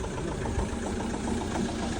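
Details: Vehicle revived after its battery fully discharged, with an emergency service connecting a battery. Quiet, steady idle with an even beat and no misses or knocks after the start. Normal idle.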